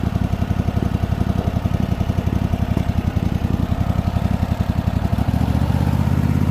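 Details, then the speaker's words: Craftsman T8000 riding mower after rat's nest, on very low idle; steady, even thumping with no misses or knocks, no transmission whine, picking up slightly near the end; normal idle. "that sounds great it's on really low idle um so there still no winding there"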